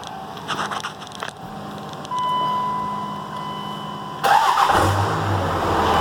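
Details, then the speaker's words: Dodge Ram 2500/3500 Cummins after replacing a failed lift pump with a new AirDog 150: a steady electric pump whine while priming, then the engine fires and settles into an even diesel idle, showing healthy fuel supply. "All right, we got it all wired in. Got it primed. So we'll get up here and we'll see if she starts."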